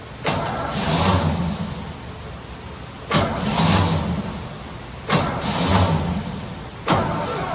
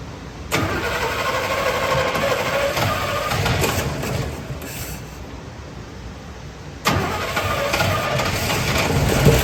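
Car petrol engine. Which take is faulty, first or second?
first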